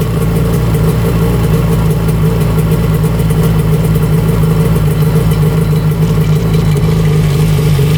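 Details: 1995 Tigershark jet ski two-stroke, first run after 20 years unused, out of the water without cooling water, no choke: loud, steady buzz with an even beat, no stumbling or misfires. Running clean.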